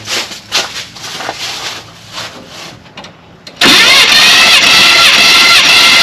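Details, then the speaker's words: 1978 Chevy C20 4wd small-block 350, about 45 years old, cranked for compression test with throttle and choke held open and no spark: steady even rise and fall each stroke; cylinder 1 at 165 psi, healthy. "And you can kind of hear when it comes up on compression."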